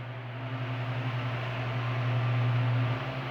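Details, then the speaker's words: Arno Turbo Silêncio fan fitted with a universal oscillation gearbox: smooth low motor hum with soft airy rush, no clicking or grinding from the gearbox as it swings; fan running and oscillating fine. "vou ligar para vocês verem que o jogo de oscilação Universal funciona bem o aparelho oscila normalmente na linha Turbo Silêncio o jogo de oscilação Universal trabalha bem no Turbo Silêncio"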